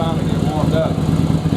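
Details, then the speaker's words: Second-generation Yamaha Virago 1100 V-twin, before carburetor sync and air/fuel adjustment: lumpy, uneven idle with dropped pulses as one cylinder cuts in and out. It has hardly any power. "running you can hear one of the cylinders of wheat cutting out and it takes a little while to finally"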